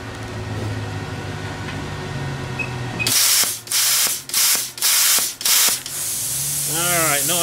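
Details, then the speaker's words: Everlast Power Plasma 50 plasma cutter at 19 amps on very thin gauge steel: the cutting hiss breaks into four or five choppy, sputtering bursts, the familiar sound of too little air pressure. "Alright, not enough air pressure. I know that noise."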